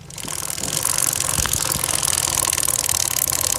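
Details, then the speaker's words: Worn, hooked front chain sprocket on a TVS Radeon motorcycle: fast dry crackling chatter from the chain area while riding, rising with wheel speed. "जब भी आपके bike में चर्चरा हट की आवाज आए तो एक बार आपको जरूर से चेक करना है"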